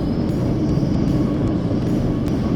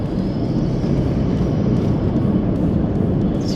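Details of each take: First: 4WD with tyres let down to 20 PSI over hard corrugations, in the cab: steady low rumble with no harsh rattles or sharp impacts even over big bumps; quiet, refined normal ride. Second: 200-series 4WD driving over hard corrugations at 60–65 km/h with tyres at 40 PSI: constant deep rumble with a busy rattle and shudder, the vehicle shaking a lot; over-inflated tyres give an uncomfortable ride.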